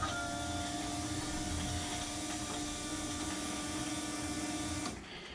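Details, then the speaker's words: Key on, no spark plugs fitted yet, before the first start of a new engine build: both electric fuel pumps hum steadily for about five seconds, then cut off cleanly. Fuel pumps priming normally. "that's both of our fuel pumps going if you watch uh this is our oil pressure when i crank it good oil pressure"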